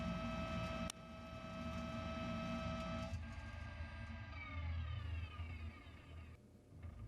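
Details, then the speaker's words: Lathe roughing steel at a 1/8 inch depth of cut and 0.015 inch per rev feed, the baseline cut: steady gear whine under a firm, even cutting rumble with no chatter or bogging, breaking a nice chip. "So this is a good baseline for cutting steel on this lathe, and that looks like it's cutting really nice, breaking a nice chip."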